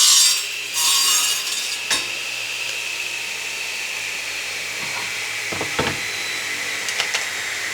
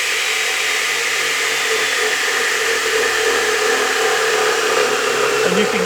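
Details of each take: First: 10-inch radial arm saw with a Forrest Chopmaster blade making a crosscut: steady high motor whine stays even through the cut, with no rumble, growl or rattle. Bearings in good shape. Normal running under cut. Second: Radial arm saw running with no load, then spinning down: steady high whirring hum with a rough, uneven undertone and slight vibration as the blade slows; worn motor bearings.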